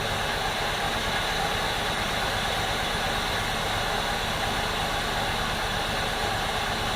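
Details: 2002 Jeep Liberty, freshly swapped 3.7 engine on first start, intake wet from pressure washing: steady idle with uneven low pulsing beat and slight stumble; rough idle.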